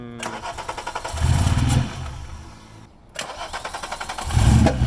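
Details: VR6 engine, first start attempt after adding a few liters of gas. Starter cranks steadily about four times a second, engine catches with a brief surge then dies; cranked again, same brief catch. Hard start, cause unknown.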